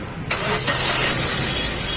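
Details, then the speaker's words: Maruti Suzuki SX4 petrol engine after replacing a shorted ignition coil: quick crank catches at once, settling into a smooth steady idle with no stumble or miss; jerking and pickup problem solved; normal start and idle. "गाड़ी हो गया start एक लगाओ ACB on हो गया हमारा तो हमारा कम हो गया है और इसका झटका मरने का जो प्रॉब्लम था वो सॉल्व हो गया है और पिकअप वगैरा भी इसका ओके हो गया है"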